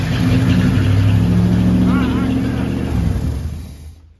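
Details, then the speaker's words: 1964 Ford Galaxie 500 with 390 FE big block, back from 30 years in a junkyard, with new fuel tank and sending unit: a steady starter churn about four turns a second, no firing. The fuel pump works but the engine isn't fueling; the carburetor is suspected. "this is absolutely not fueling there's just got to be something going on here that i'm not figuring out"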